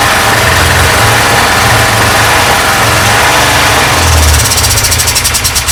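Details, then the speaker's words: Troy-Bilt rototiller with a 5 hp Tecumseh engine, running after a no-start repair; steady even single-cylinder chugging with no misses or knocks, about to run out of gas; normal running. "and that's on the troy bill the kamsa five horse really really sounds good doing a good job for me it's about to run out of gas"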